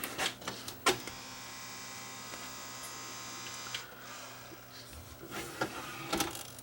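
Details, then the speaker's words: Denon CD recorder tray drive: a steady thin buzz with a few clicks as the drawer fails to open, the drive straining. Owner suspects a broken belt on one side and a slipping belt on the other. "well that sounds like it could be a belt that's broken on one side maybe the other side's got a belt that's slipping"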